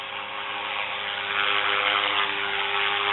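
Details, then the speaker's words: Trex 450 Sport RC helicopter, LiPo powered, dual rate reduced, at takeoff into hover: steady even motor and rotor whir, no wobble or beat in pitch, no vibration; normal smooth hover. "l'hélico vibre pas du tout c'est un petit peu le constater c'est vraiment très très propre et là je le décolle"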